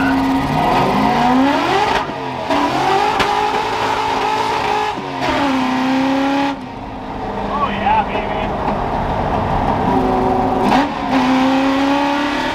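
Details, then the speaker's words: Ford F100 V8 after timing adjustment and replacing clogged fuel filter: sharp clean revs climbing and dropping quickly, no stumble or hesitation; pulls crisp and powerful. "that is spicy that is so spicy oh my goodness I'm in love with this thing again wow you can see by my hair that's a lot of fun oh my God wow this thing has a lot of power"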